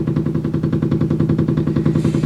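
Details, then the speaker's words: Washing machine in its spin cycle, heard through the adjacent wall: fast, steady thumping about ten beats a second as it slams against the wall and floor. Cause unclear. "every time it spins it slams against the wall and the floor down there and it just makes this noise every time is there something wrong here"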